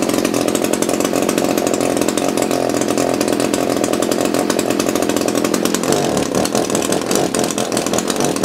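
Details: Echo CS-330T top-handle two-stroke chainsaw, unused for years, hard to start and leaking oil: loud buzz surges and stumbles at high speed as if fuel-starved; likely needs carb kit and hardened fuel pump diaphragm.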